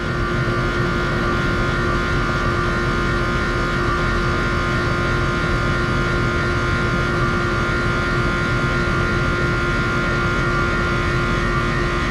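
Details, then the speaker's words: 4-ton R-410A condenser on a leaking microchannel coil in a mobile home, being charged with superheat down to 17–20: constant loud compressor hum with steady tones over a heavy drone, no knocking. "Compressor's getting loud, I think I'm gonna stop."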